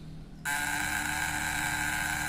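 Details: Contact breaker (points) shocker circuit with an 11 µF used generator capacitor added across the points alongside the condenser: steady high-pitched electrical buzz switches on abruptly and holds constant; output voltage drops and the spark at the points grows.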